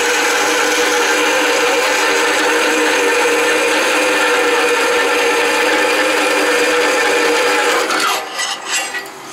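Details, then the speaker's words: Delta saw converted to metal cutting with a VFD, about 125 feet per minute, fine blade cutting quarter-inch cold rolled steel without lubricant: steady rasping bite with even mid-pitched drone for eight seconds, then stops; cutting smoothly. "and it is cutting alright a little bit slow going because it's a fine blade"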